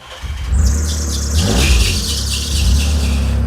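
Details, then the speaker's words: Junkyard truck that was badly overheated the night before, fuel pump hardwired to battery: loud high-pitched squeal wavering over a deep engine rumble, not getting any better while running, later stopped on its own; cause unknown. "What's that noise? I don't know, but it ain't getting any better."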